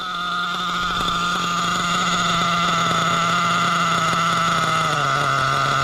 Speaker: Oh yeah, that's great. Listen to that. Dropped right back to an idle.